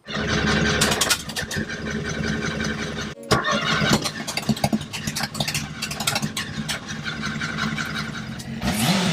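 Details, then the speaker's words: Ford ST170 engine in Mk1 Escort, first start on ME221 ECU base map: uneven firing bursts never catch; fuel pump had been left switched off. "Kicking flames back out of the throttle bodies. Yeah, go on. Just realised the fuel pump ain't switched on."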